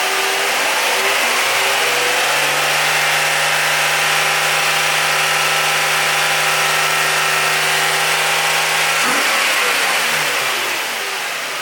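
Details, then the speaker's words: 2008 Nissan 350Z, HR V6, after spark plug replacement: catches and settles into a smooth, even idle, then a clean rev blip rises and falls without misfire or rattle. Normal start and rev. "all right so it's running sounds like it's pretty good"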